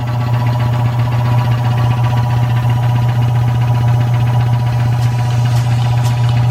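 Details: Rebuilt Surge milking-machine vacuum pump (likely mid-1940s) with new electric motor, belts, hoses and oil, regulator turned down to 13; deep steady hum with an even pulse about two beats a second, no knocking, running well.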